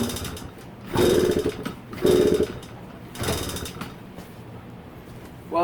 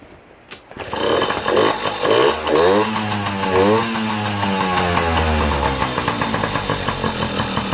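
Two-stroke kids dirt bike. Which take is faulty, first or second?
first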